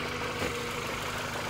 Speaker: arrancamos el coche y vemos que ya suena muy distinto y ya no vibra como antes vale ya es una cosa más normal